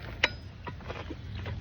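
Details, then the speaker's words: Honda CRF250R dirt bike, engine off: one sharp metallic clunk as it is kicked or put in gear for bump-starting; noise absent when running; cause unknown, owner wonders if top end needs replacing. "Or like, I put it in gear and I tried to like bump start it, I guess you could say. That's the only time you hear it. When it's running, you don't hear it."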